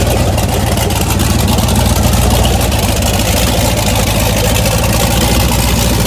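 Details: 1981 Toyota Starlet with 6.0 LS truck engine, Summit stage two turbo cam, twin DT466 turbos, idle surge traced to overrun fuel cut: deep lumpy V8 lope, steady and even without hunting or surging; healthy idle.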